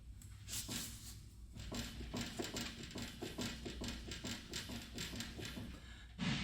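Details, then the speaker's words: 1997 Toyota 4Runner 4WD, 288,000 miles, front wheel jacked up and rocked by hand: quiet dull clunks about three a second with huge play at the upper ball joint, possible rattle at the rack; worn upper ball joint knock. "You hear that noise coming from here? There's something rattling on the rack or maybe right here, but there is that loud knock. That definitely, and a huge play."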